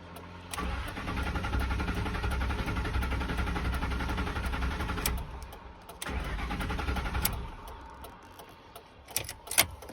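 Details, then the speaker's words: 4.6 truck that cut out while driving, with the check-gauges warning and no oil pressure shown. The starter churns about three and a half beats a second in two bursts with no catch; crank, no start. "I literally was just driving, it cut out, and now it won't start. Like, listen to this. She's a crank, no start."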